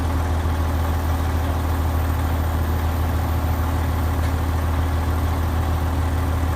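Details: Old Ford tractor, battery charged to about 12 volts after sitting (owner suspects the alternator isn't working), starts and settles into a deep, steady, even idle thrum with no misses, knocks or hunting; it runs smoothly.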